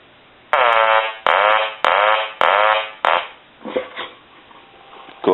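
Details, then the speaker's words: Hand-painted wooden duck novelty telephone rung after repair, eyes now lighting properly; five clear evenly spaced quack bursts dropping in pitch, about one every 0.6 seconds; ringer working properly. "we'll go ahead and ring the duck and what you're going to see is his eyes light now which is the proper way that it should look"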